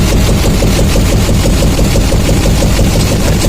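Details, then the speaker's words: 2007 Chevy Silverado 2500HD 6.6L Duramax LMM diesel at idle: rhythmic chuffing pulse about twice a second that barely changes when individual injectors are cut; not typical of an injector, sounds like an air induction noise. "not typical of an injector noise in my opinion. It sounds like an air induction noise."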